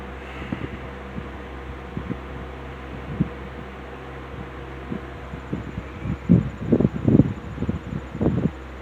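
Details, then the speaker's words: Rebuilt Wizard window box fan (bearing caps transplanted from a Lakewood X 22) in window on low speed: soft steady motor hum with gusts of moving air, no rumble or squeal; nice breeze, running smoothly and quietly. "on the low speed. It puts uh it puts out a really nice breeze."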